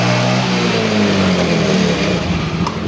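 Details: Yamaha Mio J injected scooter that had weak fuel-pump pressure and would not start despite new fuel pump IC and rotak: single-cylinder engine catches and runs evenly, brief rev settles back, no misfire or stumble; normal running.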